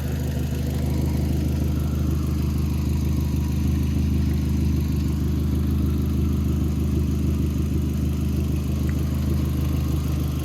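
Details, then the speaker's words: MK4 VW GTI after sensor replacement, started right up: an even, steady idle with a low smooth pulse and no knocks, misses or ticks; normal idle. "so it's running good now it started right up guys no problem"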